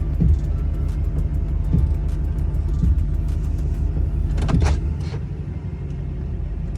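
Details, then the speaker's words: Duramax diesel truck idling in wind: short motor whirs every second or two as passenger-side power steps cycle in and out, caused by loose wires that fell onto the hot turbo and melted. "You guys hear this? That's my steps going in and out. It's so weird."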